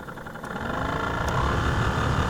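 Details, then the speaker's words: Jeep Cherokee blower on low speed after blower motor resistor replacement: rough, uneven whirring drone with a low rumble and lots of noise; the dragging, worn blower motor likely burned up the original resistor and needs replacing. "If you hear the resistance in that fan, it's making a lot of noise here, and I'm quite certain that's what burned up the original resistor."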